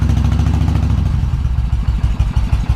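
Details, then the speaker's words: 2000 Suzuki Intruder 1400 V-twin, earlier shop claimed low compression, fuel turned on, cold on choke; deep lumpy steady beat firing on both cylinders, carbs possibly unsynced, likely needs plugs. "It's running on its own right now."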